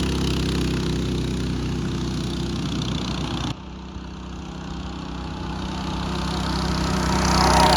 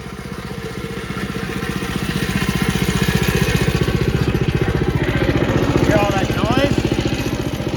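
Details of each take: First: Mini bike small single-cylinder engine after fitting a torque converter (CVT) kit: smooth steady running, revs climbing evenly without the former clutch and jackshaft chain rattle; quieter and faster. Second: Mini bike with stock chain clutch and jackshaft, before fitting a torque converter (CVT) kit: at idle and while revving, a loose metallic chatter swells with revs. The clutch and jackshaft chain are rattling noisily.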